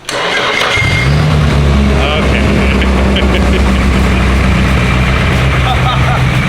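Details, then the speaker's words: Freshly built Nissan SR engine starting right after the ignition timing was corrected (it had been 180/360 degrees off). Catches almost instantly after a brief crank and settles into a smooth, steady idle. Normal start. "like nothing man you see how fast that [Music] started"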